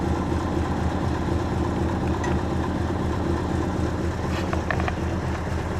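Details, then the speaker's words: 1952 Mercury idling with distributor vacuum line disconnected and capped during timing light test; idle good, so owner guesses no vacuum leaks; low, even burble, no misses, knocks or hunting; owner notes it's kind of weak on horsepower. "idle's good, so I guess there's no vacuum leaks."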